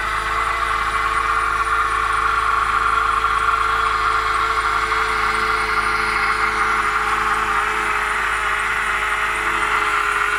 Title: BMW E90 323i 2009, Strange noise from engine.